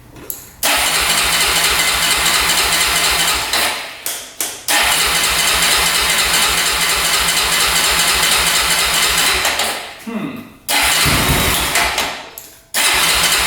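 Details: 2004 Honda 400EX single-cylinder quad after carb clean and valves adjusted to spec, compression up: catches, runs raspy and uneven, stalls and is restarted, no clean idle; still bogging, cause unconfirmed.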